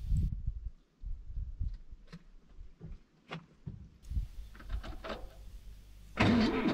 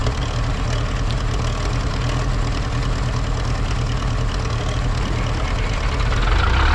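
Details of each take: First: Zetor 7045 diesel tractor at minus 10 °C, first start in weeks, cold-start button pressed; nearly flat battery gives slow, labored cranking about two turns a second that never catches; starter tends to stick in cold. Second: Zetor 7045 diesel tractor cold start at minus 10 °C after weeks unused, cold start button pressed, flat battery boosted from an MF35; fires immediately and settles into a steady, even low clatter at idle, no misses or knocks; normal cold idle.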